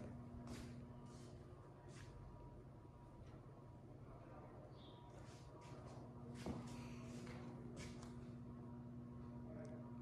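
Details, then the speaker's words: Casablanca Four Seasons III ceiling fan on a variable speed control, set a quarter turn to medium: quiet, steady low electrical buzz under the fan's hum; the speed control makes the motor buzz. "Give it a quarter of a turn. Kind of a medium. Man, that is buzzy."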